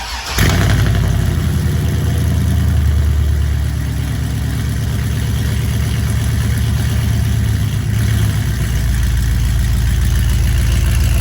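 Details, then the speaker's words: Tuned 6.0 V8 truck (HP Tuners tune, new plug wires) on pickup: brief start into a steady, even, deep lope with no misses or knocks, idling much better; tuner says it runs better but may need new fuel injectors. "all right we're picking up the truck the red truck from getting tuned so uh sounds like it's idling way better"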